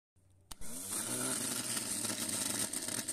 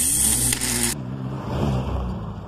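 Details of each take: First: Starter motor removed from the car and bench-tested on 12 volts: sharp click, then a steady high whir that spins up and holds evenly without grinding; normal starter operation. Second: Car cranking with a starter fault: the bendix likely doesn't return to its rest position and slips against the flywheel, which can wear or break the teeth on both. A brief harsh whirring zing, and the engine doesn't catch.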